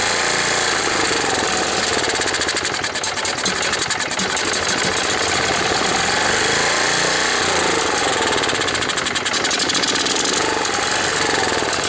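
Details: Tecumseh OHH55-69069E small engine, probably nearly new, with petrified primer bulb and fuel history unknown: loud buzzy running with a rough, uneven popping beat; it runs, but the carburetor probably needs cleaning (suspected).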